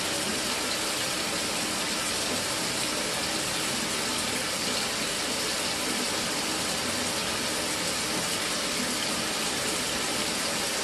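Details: Mira (Zora) shower after replacing the faulty solenoid valve that made flow stop and start intermittently a few minutes after switch-on: steady, unbroken hiss of running water with no surging or cutting out; normal flow after repair.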